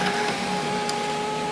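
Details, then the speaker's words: 2004 VW Jetta, 2.0L 4-cylinder, 175,772 miles, sunroof opening partway: a steady, even electric motor hum with a faint whine, then a clean stop. The sunroof works, though it sometimes gets stuck when opened all the way back. "Like I said, I know it does work. I can open it a little bit."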